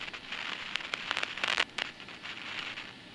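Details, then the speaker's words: Apartment building intercom line after cleaning the entrance panel terminal block and replacing the decades-old entrance unit (suspected noise source): noise much improved, now a thin hiss with intermittent crackles and sharp pops; some hum remains. "只是程度上来讲，真的有比以前好很多啦。以前的杂音是真的没办法通话，那现在这个是听起来是间歇性的出现的哦。"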